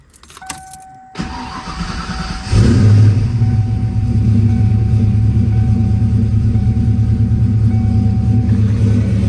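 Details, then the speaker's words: Key jingle and a chime, then a quick crank in neutral right after an oil change with 5 liters added; the engine catches into a steady, smooth idle with no knocks or ticks; sounds healthy. "Sounds pretty healthy right now."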